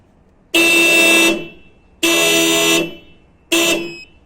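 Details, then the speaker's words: 2003 Honda Odyssey sitting a while with dead battery, alarm going off on each jump-start attempt: three bright honks, each under a second, about one and a half seconds apart; horn relay later pulled as temporary hack. "And the issue that I'm having now is every time I try to jump the car, the alarm goes off."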